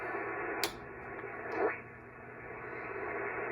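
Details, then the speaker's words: Pyramid PSV500 50 A switching DC power supply set at 13.8 V, not connected to the radio: switching it on raises receiver hiss to a steady rushing noise with clicks, flooding the band on Windom and cobweb antennas. "okay that's a power supply coming on I have it set at 13 .8 Vols that noise that you hear is the switching power supply and I'm not hooked up to the power supply"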